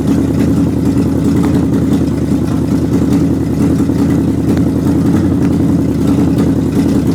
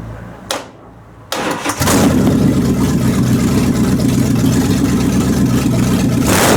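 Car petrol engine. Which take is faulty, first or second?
second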